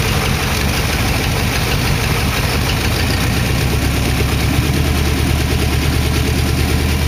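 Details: 1962 Oldsmobile 392 V8 in a 1914 Dodge Brothers rat rod, fresh start with no coolant in it. Even idle with fast, light lifter ticking in step with engine speed; the ticking calmed after the first start.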